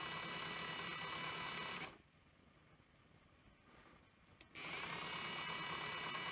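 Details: Sony EV-S700 Video8 deck (c.1988, well used): capstan running full speed in playback, like fast forward, pinch roller engaged; fast busy whirr throughout. Rewind works; owner suspects a servo issue, unconfirmed.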